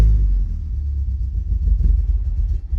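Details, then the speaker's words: MK2 Golf with K-Jetronic injection. From a cold start it takes several turns, cuts out, then runs roughly with an uneven rumble that surges and sags. Timing and CO were set; the warm-up regulator is being examined. Cause unconfirmed. "the issues I've got to start off with is basically when it's on a cold start it does not like to go at all um and it takes a few turns"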